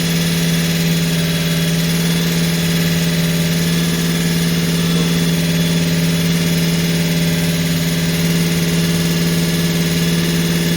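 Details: Holden HQ 308 V8, first start after full rebuild to stock spec (bores re-sleeved to standard 101.6mm), Crow Cams 5651 cam (493 lift, 282 duration, LSA 114) for fair-medium idle; even steady idle, mild lope, deep constant tone, no knocks: normal idle.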